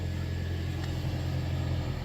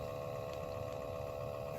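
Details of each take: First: 2013 Toyota Prius C after replacing a noisy cabin blower motor assembly: steady, even low hum with no rattle, tick or squeal; new blower runs smooth and quiet. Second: 2013 Toyota Prius C cabin blower before replacement, with nothing found stuck inside. Steady whirring fan with a constant mid tone and a rough hum underneath; noisy blower motor, which was replaced.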